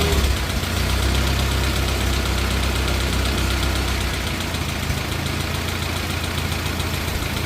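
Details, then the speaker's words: 1950 Farmall Cub after engine rebuild with pop-up pistons, replaced magneto and new on-off switch: steady, even, quiet idle with regular firing, no misses, no smoke. Normal idle. "So she runs pretty damn good. Had to replace that magneto. Sounds good, sounds quiet. No smoke. Purrs like a kitten."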